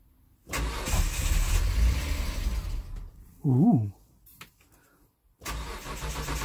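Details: 2005 Hyundai Santa Fe V6 that would start then stall, after a new in-tank fuel filter and refitting the missing pump-outlet O-ring that had leaked fuel pressure. Cranks, catches briefly, goes quiet, then fires and settles into a steady, even idle. Normal start and idle.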